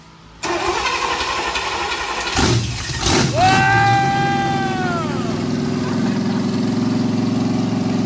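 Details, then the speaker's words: 350 small-block Chevy built 25 years ago and never started; short crank, catches almost instantly with a couple of revs, then settles into a steady, even idle. "That thing turned over one time, fired up."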